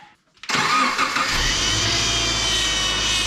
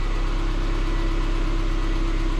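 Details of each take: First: 2006 Subaru Forester with leaking power steering pump, cold start after refilling fluid: steady high whine and squeal over the running engine as the wheel is turned back and forth; fluid low and foamy, much air in the system. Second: 2006 Subaru Forester after power steering pump leak fix with new O-ring, some air still in fluid: smooth steady engine hum, no whine, hitching or stiffness lock to lock; normal power steering pump operation.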